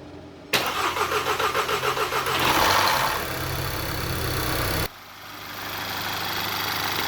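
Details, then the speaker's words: 2012 VW EOS 2.0T TSI EA888 Gen 1 CBFA after timing chain job and rebuilt cylinder head (had jumped time, bent valves), first start: cranks about 1.5 s, catches, flares, settles to smooth idle, no ticking; healthy. "all right that sounds really healthy to me no tinging no ticking no noises"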